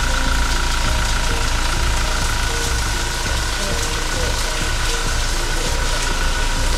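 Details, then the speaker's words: Toyota Fortuner 2400 cc diesel (same engine as the Kijang Innova): low, even diesel idle with only soft clatter and no irregular knocks, very quiet with minimal vibration for a diesel; normal diesel idle. "Nah, ini mesinnya, mesin diesel 2400 cc. Untuk ukuran diesel ini masih sangat senyap dan minim getaran ya. Terdengar ya suaranya."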